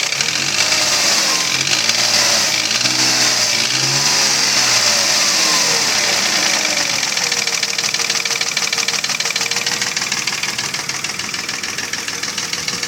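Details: Mercedes ML320 V6 (M112 3.2) at about 300,000 km: rhythmic knock through the revs settling at idle, persisting after bearings, tensioner, rollers, camshafts, chain and lifters were replaced; piston slap from scored cylinders.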